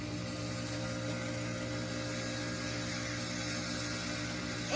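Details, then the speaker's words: 1986 Carrier Siesta 6100 BTU window air conditioner, sold as working: steady low electrical hum from the running compressor with no whoosh of moving air. The condenser fan motor is not turning. "so yeah the fan doesn't work unreal [Music] well so there's the uh carrier siesta not working well the compressor's on now but there's no fan"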